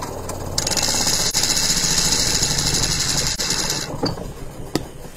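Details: Washing machine that would not spin-dry, after replacing the capacitor: fast, even whirring spin with a busy rattle on top, then winding down; spin dryer now turning freely and running normally.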